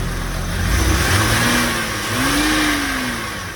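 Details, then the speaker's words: 2003 Porsche Boxster base, Tiptronic, flood salvage, about 144,000 miles, bought non-running at auction: first start after battery jump, engine spins up cleanly and settles, smooth even note rising and falling with throttle, no knocks or rattles; sounds healthy. "Holy smokes. It sounds beautiful."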